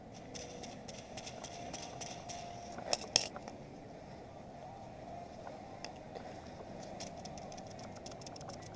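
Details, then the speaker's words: Old clutch throwout (release) bearing from a Subaru BRZ, spun by hand off the car during a clutch swap: dry, gritty scraping rattle with uneven catches instead of a smooth whir; badly worn, being replaced with a new one. "this thing's pretty shot."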